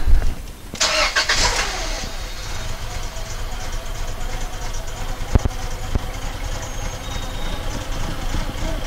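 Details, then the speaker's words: 1999 Honda Accord with a replacement F23A engine, P0108/P1129 MAP codes, run after the timing and balance shaft belts were checked and it was reassembled: it catches and idles with a faint unevenness; slight misfire, though engine vacuum is now present. "a little bit of a misfire for some reasons but now we have vacuum"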